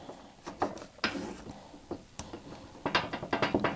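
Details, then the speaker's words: Garage door nylon roller with a brand-new sleeve replacing a two-year-old one, worked by hand: soft, dull clicks and light rattles, very muffled and normal. "Very, very muffled now. So, that is the difference."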